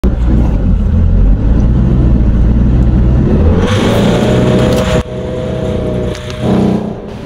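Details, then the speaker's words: Hyundai Starex with D4CB diesel engine in runaway: loud roar with climbing turbo whistle at unknown high RPM, then an abrupt drop as the ignition is switched off to stop the diesel runaway. "Ayun, nag-diesel run away. Buti na naikot ko agad yung kanyang ignition."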